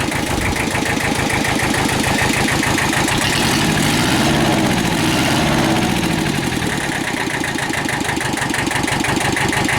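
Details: Kubota two-cylinder diesel tractor after low oil pressure repair and rebuild, oil changed after about half an hour of running: even diesel clatter at steady idle, about three and a half pulses a second, no knocks or misses; normal healthy idle.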